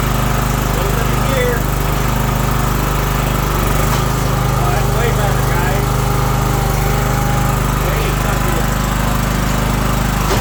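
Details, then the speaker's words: John Deere 240 lawn tractor test run after drive belt replacement: small engine holds a steady, even drone with no misses or knocks; running healthily. "All right, there's our drive belt, guys. Let's fire it up and give it a quick test run."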